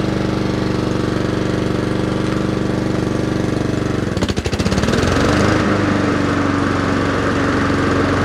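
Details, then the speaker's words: Honda HRR216 single-cylinder mower out of winter storage, throttle at fast: steady, even fast beat, briefly settling after a speed change. Normal running. "And see if it hot starts. Sounds good."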